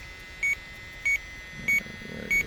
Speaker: Right there. There it is. It's pinpointing that leak right there.